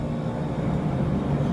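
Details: Walk-in cooler condensing unit with Copeland scroll compressor ZB45KQ, 230 V three-phase, drawing 15–16 A, coming out of defrost/pump-down: smooth steady low hum, no rattles or surging; running normally.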